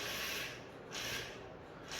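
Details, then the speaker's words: Used Carrera slot car with worn braids running on Scalextric track: high buzzy whir swelling and fading as it laps past, even pitch, no stutter; described as a lower-end growl than Scalextric cars, runs fine. "It's funny, it's supposed to have a big block in it, and if you listen to it, it's definitely got a different pitch than the Scalextric's car. It's more of a growl. It's more of a low-end growl."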